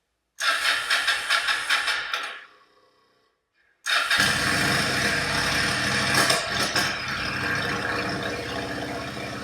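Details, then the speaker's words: Yamaha V Star 1100 bobber V-twin with open pipes, starting, stalling, restarting then blipped; irregular popping and banging backfire through exhaust from running too lean. "If you can hear that backfiring there. Bit poppy and banging. I'm running too lean."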